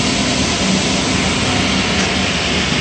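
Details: Gas power burner on one of two ganged steam boilers with new 24" Field barometric draft regulator, during purge. Steady, even combustion-fan roar, faint low hum, no surging or rattles; healthy purge before light-off.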